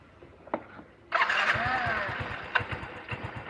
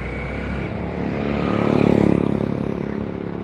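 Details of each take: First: Scooter after engine overhaul and new air filter, previously lacking power and dying off throttle: fires, then slow uneven putter about three beats a second and stalls; idle speed set too low, needs adjustment. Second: Fuel-injected scooter after engine rebuild, air setting adjusted, TPS at 14 (too low, idle low): steady even putter, slight swell then settles, injector audible; stable idle with no misses or knocks.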